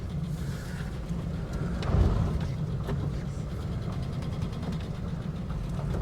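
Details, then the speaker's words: 1967 Barracuda V8: deep, lumpy idle with an uneven chuffing beat, roughly four stumbling pulses a second, described as sounding like a chaff cutter. The noise seems to come from one bank. Rough running misfire. "Sounds like a chaff cutter. >> Yeah. See if I can find out where the noise is coming from."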